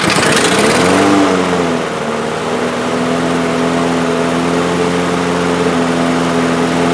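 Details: DeWalt mower with a Briggs & Stratton engine, 2 years old, previously would not start or run, retested after reassembly: revs flare briefly, then settle to a steady governed speed with no surging or hunting.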